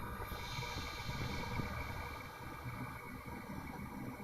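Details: Xbox One optical disc drive making a rough, uneven rumbling rattle with a faint steady whir. It first appeared on day two, stopped after a week, and returned a month later worse, and the drive no longer reads discs.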